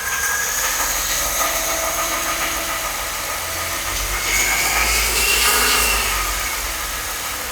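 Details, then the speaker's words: Mercedes S211 M272 V6 warm idle after oil change to thicker 5W-50 with engine flush: steady light tick about four per second over engine hum, suspected valvetrain knock still present, maybe slightly lower pitch or quieter. "As you saw in the last clip, the knock is still audibly there. However, it might be at a lower pitch, it might be a little bit quieter."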